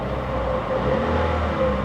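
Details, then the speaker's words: 2012 Chevy Cruze Eco, about 9,178 miles, mostly highway-driven: steady petrol engine hum lifts slightly with a light rev in gear check, no tapping or ticking; engine sounds quieter, normal. "the highway quite a bit the engine sounds like it quieted down"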